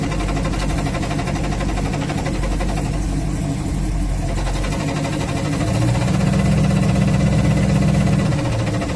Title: 383 Challenger A833 clutch noise when pressed